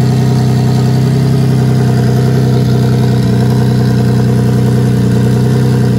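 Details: Nissan 350Z VQ35DE single turbo, Garrett T04E at 10 psi, hood dump, open wastegate, Deatschwerks 600 injectors, after thermostat swap: steady, even idle with deep uniform drone, no knocks or misses; normal idle.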